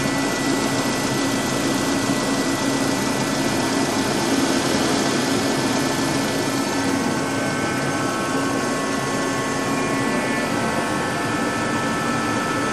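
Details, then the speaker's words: 2005 Dodge Neon after engine mount and spark plug work (plugs were oil-soaked), now idling with a steady, smooth hum, no stumbles or misses; left running to burn off oil in two cylinders. Normal idle. "But I say she's not misfiring. That I can tell."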